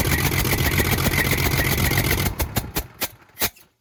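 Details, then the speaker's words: Semi truck diesel after turbo failure, turbo removed and oil line blocked off: loud open clatter with uneven beat, then shuts down and puffs to a stop; owner suspects a miss on cylinder number one, possibly a valve. "the problem is miss is on cylinder number one which is probably going to be a valve if i had my guess i'm pretty sure it's cylinder number one"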